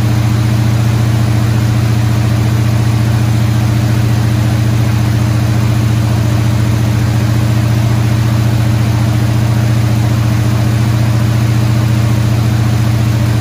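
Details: Squarebody Chevy C20 at raised fast idle around 2,000 rpm for about 15 minutes after re-setting a distributor installed 180 degrees off; smooth, even deep hum, no misses, knocks or ticks. Valve train later got a little noisy.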